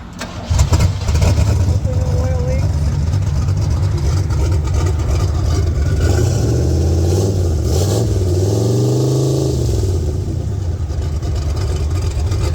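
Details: Boosted Pontiac 400 V8 in a LeMans, started after fitting the turbo and wastegate: catches, flares, then settles into a steady rumbling idle with a couple of blips, even with no misfire or knock; normal start and idle.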